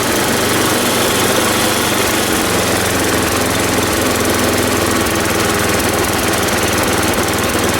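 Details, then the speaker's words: Ariens 824 snow blower, Tecumseh HMSK80 engine, after carburetor repair (jets cleaned, float bowl and gasket replaced; owner believes an air leak at the old gasket caused surging): steady low idle, even beat, no surging. "And now it doesn't surge anymore. I don't have to run it high, and I can idle it at a low speed now without it conking out."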